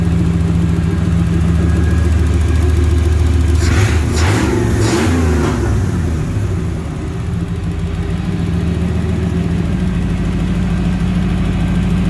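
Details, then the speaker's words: 1992 Pontiac Trans Am, warm engine after replacing leaking fuel injectors and lowering fuel pressure from about 63 to 43 psi: steady idle then two quick blips rising and dropping cleanly; previously misfired badly. "the car is warmed up right now ever since I've gotten this car I have never been able to once it was warm do this"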